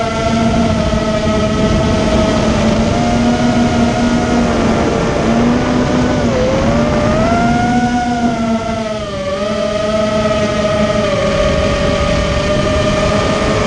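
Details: Immersion Vortex 250 Pro motor test run after trying to fix bad bearing sounds: a clean high whine rises and dips smoothly with throttle, with no rasp or grinding, so the bearings sound fine now. One motor is barely warm and the rest feel good.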